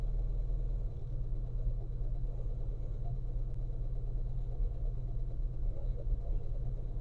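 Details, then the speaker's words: Austin A40 Farina, slightly cold engine not started for a few days, manual choke eased in from full choke to fast idle: ticking over quickly and fairly evenly with a steady low thrum and slight uneven beat; normal fast idle. "hopefully you can hear now it's just idling quite quickly um and that's kind of what we want at the moment because it's slightly cold outside sounds pretty good"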